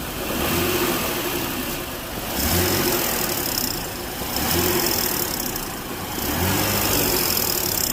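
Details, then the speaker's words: 2019 Ford Explorer 3.5L with code P0430, engine revved in bursts: harsh raspy hiss and rattle swelling each time; failing catalytic converter on the verge of going out, whole one-piece pipe to be replaced. "when these start to go out i've never seen one make that sound without it actually cracking first this one's on the verge of going out"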